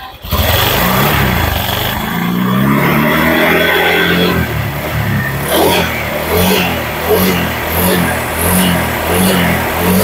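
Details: Honda Vario 150 scooter engine reassembled after overheating, fast coolant loss, oil loss and rough running; warmed up, coolant circulating through water pump and thermostat. Crisp blips climbing and dropping cleanly, no rattles or knocks between revs; normal revving.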